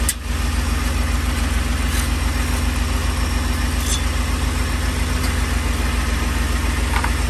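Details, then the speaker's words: 2010 Ford F-150 at startup settling into idle: tinny metallic buzz over the low exhaust pulse from a loose heat shield whose clamps had rusted apart. The fix was replacing the clamps, after which the noise was gone. "it is very common for the heat showed clamps to rust apart and then you get that metallic sound that you heard at the beginning of this video"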